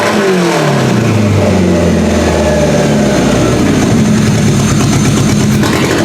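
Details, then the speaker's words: Camry engine freshly swapped into a banger car, EGR deleted, new simple wiring harness, first start: engine catches and revs with a wavering, uneven note that won't settle. Seems to be over-fueling; cause not yet found. "So it still sounds like it's over fueling, and it's probably because I'm missing something, but I haven't really clued into what I'm missing yet."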